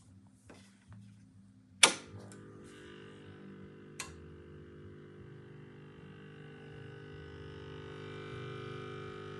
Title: Revox B77 MK2 buzz noise on idle